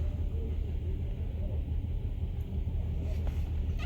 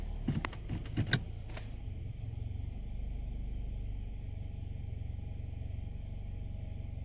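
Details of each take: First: Uneven, lumpy idle with irregular stumbles on a 2015 Nissan Altima 2.5 with the check-engine light on. Codes are P0300 multiple misfire and P0014 exhaust valve timing. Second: 2015 Nissan Altima 2.5 idling in Drive after repair (codes P0014, P0300); low even idle, no shaking, no misfire, no rough idle.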